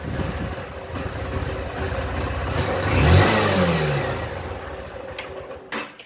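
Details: Honda Fan 160 motorcycle: revs climb then sag unevenly with ragged, stuttering exhaust as throttle opens; misfiring under acceleration, cause not confirmed.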